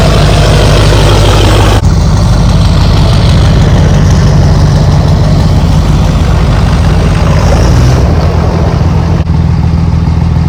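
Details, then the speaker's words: Duramax diesel truck after a repair, warming up after a cold start and idling about 15 minutes outside: steady, even low rumble with deep nine-blade fan whoosh, no knocks or misses; normal diesel idle. "we'll just let that nine blade sing for a little bit let the truck warm up but this truck's been sitting for about 15 minutes now at idle just sitting there so far so good"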